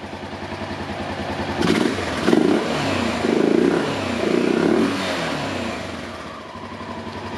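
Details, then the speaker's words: Honda XR650L single-cylinder after replacing a failed CDI box (it cranked but wouldn't start): four crisp revs falling back to an even idle, no misfire or stumble; running like new. "so she's running like a brand new 650 l"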